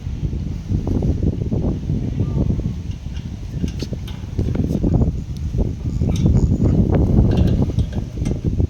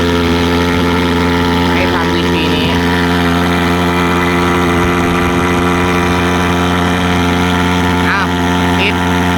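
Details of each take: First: Thermal fogger before repair, hard starting with air bubbles in fuel line: low ragged popping surging and sagging unevenly, never steady; tiny fuel jet clogged by fibres from degraded 95-octane fuel filter, starving fuel, fix is removing and cleaning jet. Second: Thermal fogger after cleaning fuel jet clogged by fibres shed from a degraded 95-octane fuel filter, hard starting fixed: steady even drone, constant pitch, no stumbles or surging; starts easier, normal smooth running.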